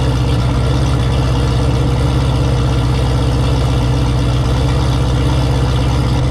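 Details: Turbo Camaro ("Cowmaro", 1200hp) V8 first fire in a while after engine was out, fresh oil, warm idle with coolant about 190°F; deep, steady, lumpy, unbroken beat with no knocks or ticks. Normal idle.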